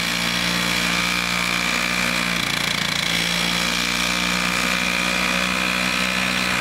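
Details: Vintage Toro 19-inch Flymo hover mower, two-stroke, governor spring shortened to run about 3,700 rpm, kill switch fixed. It cuts frozen grass in snow with a steady high buzz, even speed, and no surging or misfire. Running healthy after repair.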